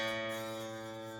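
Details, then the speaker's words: Godin SD electric guitar after setup: a plucked note with a faint metallic sizzle as the string touches around the first or second fret because the nut is too low. The fix is shimming the nut up slightly. "you can hear it vibrating touch it and it's just touching ever so slightly somewhere on the first or second fret down here"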